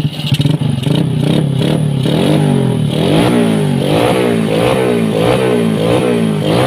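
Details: Yamaha Vega ZR / Jupiter Z Robot single, unused a year and a half, after clutch rework with 4 springs, fresh oil, fuel and new clutch cable: brief starter clatter, catches, revs rise and fall smoothly, no knocks; normal start and rev.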